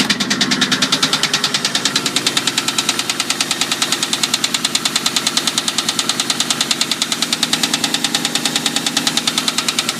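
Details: 2001 Mustang GT at idle: sharp, even knock about three hits a second over the running engine, persisting after a shop was supposed to fix the engine noise.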